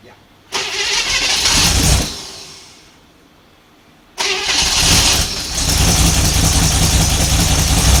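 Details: 1955 Chevy 210 Delray, 265 V8 with glass-pack exhaust, first start attempt in who knows how long, kept short with no transmission fluid: the starter churns, the engine catches, fades, recranks and runs rough with no knock. Fuel delivery suspected.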